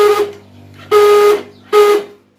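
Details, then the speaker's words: Hero HF Deluxe motorcycle self-starter motor: three short starter bursts, each a steady high-pitched raspy whine with quiet gaps; self-motor noise problem, later opened for repair. "सुना आपने आवाज इस type से आवाज ए रही है और सेल्फ स्टार्ट 2017 मैं आपको आवाज सुनने वाला हूं"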